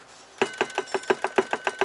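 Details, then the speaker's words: Volvo VNL truck with lost power: sharp, evenly spaced knocks about five or six per second with little engine rumble; knock from the engine bay, suspected to be a loose wheel-arch liner near the turbo, unconfirmed. "Вот это это отвечаю вот этот стук."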